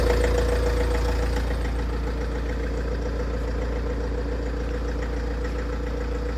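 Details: Tata Safari Dicor diesel at idle: a steady hard knock three to four times a second over the diesel clatter. Owner suspects mostly the glow plug, along with clutch release bearing noise; unconfirmed.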